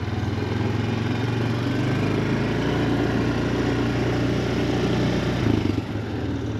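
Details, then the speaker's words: 2007 Honda Foreman 500 ATV after replacing the electric shift motor (it shifted poorly when hot): steady, even engine drone with a brief dip and pickup as it shifts into second; runs and shifts noticeably easier. "Nice, it sounds better. Sounds like it shifts a lot easier."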